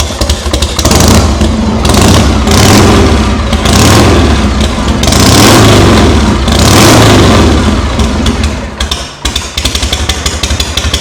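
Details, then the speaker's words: Rebuilt 1982 Harley Shovelhead with the carb and crossover line leaks fixed and worn points swapped for electronic ignition: a loud, even V-twin lope at about four beats a second, and revs rise cleanly and settle with no misfire. It runs healthy. "All right. Wow, that thing sounds good. It kind of ran like dog [ __ ] before I pulled it apart. I think it's cuz it had points in it and they were just clapped."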